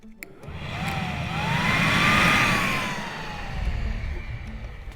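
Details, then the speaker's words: Secondary air pump from Bugatti Veyron, bench-tested off the car: rising then falling electric whine over steady airy rush, runs smoothly; pumps work, so relays or whatever switches them on is suspected faulty. "So all the air pumps work, but whatever's telling them to turn them on clearly isn't working."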